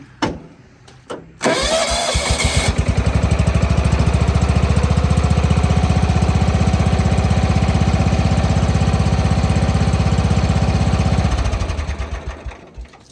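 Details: John Deere 165 Hydro lawn tractor after ignition coil replacement: cranks, catches at once, settles into a steady even thump of about four beats a second, then shuts off cleanly; ignition healthy.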